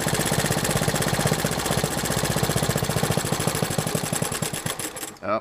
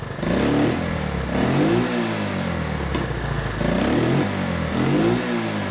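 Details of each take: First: Honda 110 three-wheeler, warm, adjusting ignition timing at idle: even firing pulses slow over five seconds then stop dead; retarding timing dropped idle until it stalled, so set fully advanced; timing chain suspected stretched. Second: Honda 110 three-wheeler warmed up after points/timing adjustment and carb rebuild: three clean throttle blips rise and fall smoothly then settle to an even idle without misses or backfire; much improved, slight remaining hesitation possibly from the carb.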